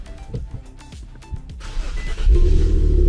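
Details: Vehicle with nearly dead battery, jump-started with Fanttik T8 APEX jump starter (battery in circuit): music over a short crank, engine catches almost at once and settles into steady idle; normal quick start.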